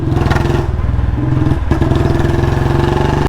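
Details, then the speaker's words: Royal Enfield Bullet Standard 350 single-cylinder, petrol almost out, ridden slowly with light throttle: the thump stumbles and misses, nearly dies midway, picks up, then cuts out; more throttle makes it quit. Misfire from fuel starvation. "ये देखो धीरे-धीरे चलाओ जब भी तेल खत्म हो जाए ट्रिक है थोड़ा सा एक्सीलरेट करो देखो चल रही है जहां ज्यादा करूंगा छोड़ देगा"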